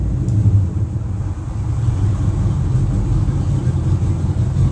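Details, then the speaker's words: Mercury inboard boat engines dropping from 3,000-4,000 rpm back to idle at the dock, engine compartment closed: deep even rumble settling to a steady low idle with no misses; healthy. "if you want to cut it back and know what it's like when you're at idle there you go that's your idling noise"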